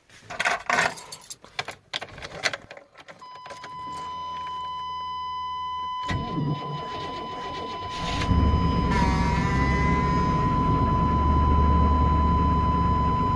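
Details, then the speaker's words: 1997 Chevy Tahoe 5.7 Vortec with about 234,000 miles, started in snow after a fuel pump replacement. Before, the pump whine was faint, it sputtered above 3,000 rpm and needed ether. Key click, strong steady priming whine, short crank, quick clean start; normal. "You can actually hear the fuel pump now. You could hear it whine a little bit before, but not like you're supposed to."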